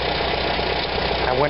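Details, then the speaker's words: 1945 Farmall BN after Zenith carburetor cleaning of blocked passages, in neutral, idle screw now adjustable all the way in: even, steady, unhurried idle, no stumble or misfire; normal idle. "I could never adjust the idle screw on this look at this I got it all the way in listen to it"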